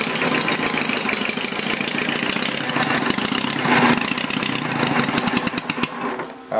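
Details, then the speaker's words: Homemade inline 4-cylinder Briggs engine, just run at about 500 rpm and being slowed: the chatter loses pace and stumbles, then the engine stalls within a second. Flooding is suspected; exhaust afterwards measured only 140–150°. "man I think I flooded it ah oh no"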